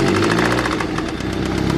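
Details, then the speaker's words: Integra with eBay-turbo B18B engine, runs and idles well: rapid deep knocking that grows louder with rpm and fades on deceleration, a rod knock from a worn rod bearing. "and then as it decelerates the knock goes away that's how you know it's a rod knock"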